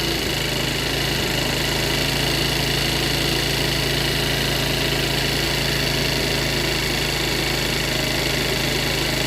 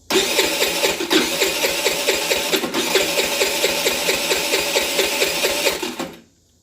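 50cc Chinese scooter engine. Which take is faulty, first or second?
second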